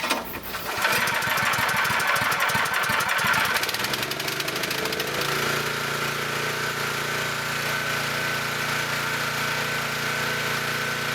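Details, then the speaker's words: Scott Bonnar 45 mower after rebuild, first start, engine at full revs: brief clunk as cutter clutch engages before reel runs steadily; engine should be slowed before engaging. "the engine is running at full revs and if you pay attention you can hear a clunk as the clutch is engaged this is not a nice way to treat the clutch"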